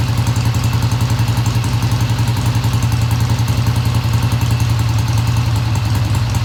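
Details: 1971 Triumph T120 twin, first cold start after cleaning pilot jets: deep, even low throb with steady pulse at idle, no knocking or stumble; idle fast at first then kicked down, healthy, no tach fitted.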